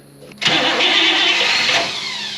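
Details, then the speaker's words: Buick Electra 225 original engine from a fire, refreshed after a connecting-rod noise: catches quickly and settles into a smooth, even idle with no knock; normal running. "I know I don't want to run the wall oh my goodness that sound good I don't know about you but that's a good feeling"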